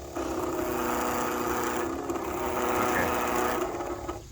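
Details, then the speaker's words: 1966 Dart with 273 big-cam V8, revived after years sitting: rotary electric fuel pump emptying the tank gives steady high buzzing whir, then cuts off as it runs dry with no more fuel coming. "no it's a rotary pump it's sitting there spinning around with veins and stuff hence that's why i'm"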